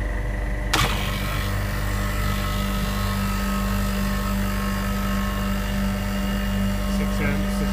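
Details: Refrigeration unit compressor running after its tripped breaker was reset; it tested OK and draws about 6.5–7 A, with the condenser fan on speed control: steady, even low hum with no surging or knocking; compressor running normally.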